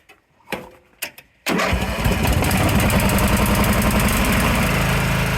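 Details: Vintage Craftsman 917 lawn tractor after reconnecting a separated white/black starter-wire connector: a few clicks, then it catches at once and settles into a steady single-cylinder idle. Normal cranking and start.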